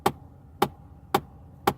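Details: After the air conditioning is turned off and the heat is put on: sharp, even single knocks about every half second persist for a minute or two; repeated AC-system knocking, source unknown.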